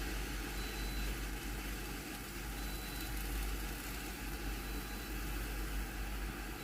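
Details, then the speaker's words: Philips GC7703 steam iron (no steam output, soleplate heats normally) after water pump replacement, retest in clean mode before reassembly: steady even low pump hum, no rattles or surging, drawing water from tank to soleplate; normal water pump operation. "เดี๋ยวรอดูนะครับว่าปรับน้ำจะสามารถสูบน้ำจากแทงน้ำไปที่หน้าเตาได้หรือเปล่านะครับได้ยินเสียงปั๊มสูบน้ำมนะครับ"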